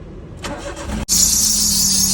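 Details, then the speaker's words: Engine cranks and catches, then a sharp steady high screech rides over the idle; loose alternator belt slipping, found after checking both the AC and alternator belts. "അപ്പോ നമുക്ക് ഇതേപോലെ ബെൽറ്റിന്റെ sound ഉണ്ട് എന്നുണ്ടെങ്കിൽ നമ്മൾ ആദ്യം ചെയ്യേണ്ടത് നമ്മൾ belt loose ഉണ്ടോ എന്നുള്ളത് നോക്കുക"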